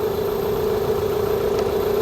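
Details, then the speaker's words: 2001 Toyota Highlander 2.4L, battery light on, battery dies overnight, engine idling: steady mid-pitched whine from alternator over low idle; scope shows ripple, failing alternator. "so as you can hear the engine is running and I don't know if you can hear this noise this noise is coming from the alternator there's like a little zooming noise coming from this area"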